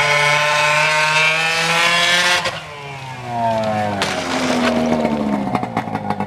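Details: Arctic Cat ZL600 EFI two-stroke snowmobile, muffler off, running in garage: loud raw blips then pitch sags and stumbles instead of climbing; bogging under throttle, owners suspect intake boots.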